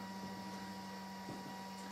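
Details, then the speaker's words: Harley-Davidson with an LED headlight bulb fitted in place of a Xenon kit: steady low hum with a fainter higher whine in a quiet room, which the owner presumes is the LED bulb's cooling fan, running normally. "So, and you can hear in the background, I presume that's the fan off the main LED that's in the headlight."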